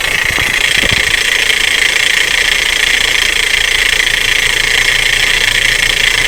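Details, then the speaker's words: Car engine at even idle with a steady high scraping whir, heard through a hose-type listening microphone near the starter; another part was first suspected, but it is the starter drive dragging on the flywheel ring gear. "sí si notaron el ruido se escucha en la marcha o cerca de la marcha y al principio pensaba que en algún valer o algo así"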